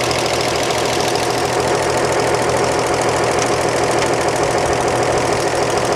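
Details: 1938 Chevrolet coupe, warm and running, after adjusting exhaust valve lash to 0.014 in clearance: steady, even idle with only a light, regular valve tick over the exhaust; runs smoothly.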